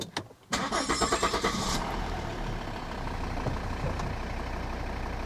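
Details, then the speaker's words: 2012 Volvo XC60 D5 AWD diesel, restart after fuel filter change and bleeding: brief crank, quick catch, then an even, settled idle with no coughing; owner says the idle sounds much more normal. "Okay, that seems all right. That's settled back down now into a normal start. Actually, that idle sounds much more normal."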